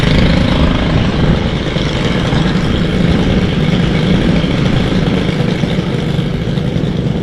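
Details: Stihl FS91R string trimmer, unused since December with fuel stabilizer added: a steady, even two-stroke buzz with no misses or surging. It runs smoothly after winter storage.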